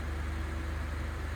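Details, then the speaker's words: Freshly built turbo Honda Civic D-series engine (500+ whp build), untuned cold start: loud, raspy, deep idle that stays steady and even, no misfire; louder than remembered. "Dang. It sounds good. It's beefy."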